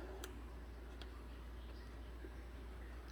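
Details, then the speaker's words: 2014 Hyundai Accent with P0441 incorrect purge flow, engine off: purge solenoid on rubber engine mount commanded on/off by scan tool; a few sharp faint clicks as it opens and closes; solenoid works, no fault found. "um i'm going to command this solenoid on and off with a scan tool and see if we can hear it feel it click it's mounted on the engine in a rubber mount because it usually is duty-cycled and that would tend to make a ticking sound that would be transmitted into the body so here we go well both solenoids physically move"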